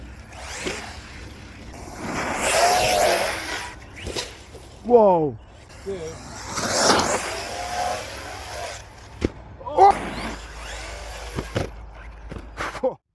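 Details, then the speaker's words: RC car with Hobbywing Ezrun Max 8 G2 after reverting to older firmware to fix sensorless issues and cleaning; short motor whine bursts sweep cleanly with throttle over wind and tyre noise, running much better; owner suspects a wheel bearing going. "as you saw from that R running footage um it's running a lot better got it all nice and cleaned up now"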